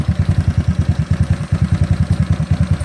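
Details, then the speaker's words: GY6 scooter, battery reading about 13.2 V, RPM reading not working: slow, heavy chuffing at about eight beats a second that stumbles briefly. Rough idle that sounds ready to stall; owner suspects a wiring fault. "stands still down nope sounds like it's gonna die"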